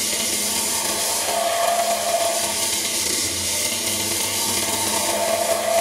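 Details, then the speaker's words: Woodturning lathe, reworking a previously made pierced tulipwood bowl on a glue chuck: light scraping cut comes and goes each turn, catching only high spots because the bowl has warped out of round since it was made; to be trued up. "It just shows how much this bowl's gone out of shape since I actually made it."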